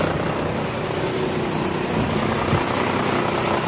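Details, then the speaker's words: Cummins diesel with strange noise and heavy smoke, running with the faulty injector shut off: steady heavy diesel roar, knock gone, slight uneven stumble on remaining cylinders; misfire from the cut-out injector. "é só tá faltando normalzinho aí só falhando um pouco"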